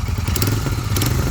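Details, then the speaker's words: Royal Enfield Continental GT 650 twin revving with short metallic clatters breaking over the exhaust beat; the silencer has worked loose at its mounting, likely from an incorrect fitting. "अब मैंने आपको दिखाए की क्या problem है तो इसके silencer जो है वो थोड़ा सा लॉस हो चुका है अपने उससे एरिया से मतलब जहां पर लगता है"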